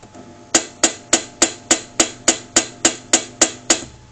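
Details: Silhouette SD cutter at power-on: twelve sharp, evenly spaced clacks about 3.5 a second as the cutting head overshoots its start position, crashes into the housing and the belt slips; it also cuts 0.5–1.5 inches too high.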